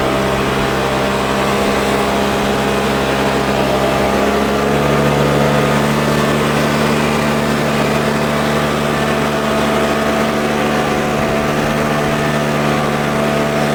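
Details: Troy-Bilt four-stroke backpack blower, started first pull with primer and choke, blowing dry grass: steady even buzz at constant speed, no surging or stumbling; runs great.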